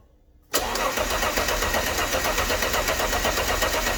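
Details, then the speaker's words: Alfa Romeo GTV with donor engine, first crank after 18 years, engine harness disconnected to circulate oil: starter spins evenly at about four compression beats a second, no grinding or clunks; normal cranking. "It all sounded okay when cranking, so let's connect this back up again."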